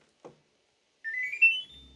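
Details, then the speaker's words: Click, then a short rising electronic chime as a room temperature-control unit powers on, followed by a faint low fan hum. The unit blows only cold air even when set to 30°C; owner suspects it is broken. "okay so let's turn it on and listen for the noise some chimes"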